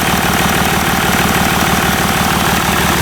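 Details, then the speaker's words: Range Rover L405 3.0 TDV6 diesel after engine rebuild, first idle: loud, raw, rapid steady rumble with smoke, engine itself smooth; noise is from the exhaust, not the engine. "The noise that you're hearing is from the exhaust. And the smoke you're seeing is from the exhaust."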